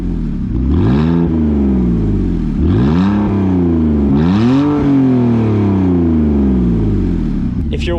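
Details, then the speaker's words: BMW E46 325i drift car with exhaust cut off, revved then idling: loud lumpy lopey idle with misfire, owner attributes it to regular instead of premium fuel. "why it sounds lopey too and it sounds like it has a cam it's because i put regular gas in and it misfires it idle"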